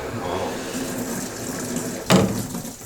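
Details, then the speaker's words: Sanyo washing machine at high water pressure: water flows, then a loud bang as the solenoid inlet valve snaps shut and water surges back, causing water hammer, heard upstairs; fixed by fitting a Kakudai tap-top water hammer arrester. "ひょっとしてゴトッゴトッじゃないですか。もうすごい音ですね。主人が壊れるんじゃないかって言って。この音。はい。ウォーターハンマーですね。"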